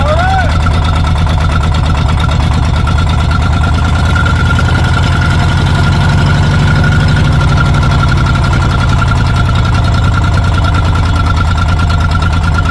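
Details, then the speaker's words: Old Caterpillar D6 dozer diesel at about half throttle, loud deep even clatter, no misses or stumbles over thirteen seconds; runs pretty good, normal running. "I'm going to go back and turn the fuel back off and uh yeah this thing runs pretty good"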